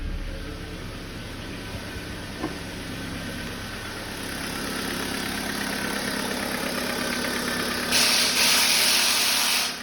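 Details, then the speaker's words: Cold-idle valvetrain tick, light and regular at about four per second, on a fully cold Kia Forte engine (size unknown) that is losing oil; camera shows scored cylinders, likely rebore to 0.5; no smoke on cold start. "Так, цикоток какой-то есть. Вообще автомобиль, двигатель работает тихо, но есть цикоток."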